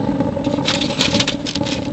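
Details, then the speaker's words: J-tube rocket stove burning pellets: a steady, hard rushing roar with crackly patter over it. Too much combustion air is being pulled through, though the burn stays hot. "pellets now there's too much air still hot a little bit too much [Music] air"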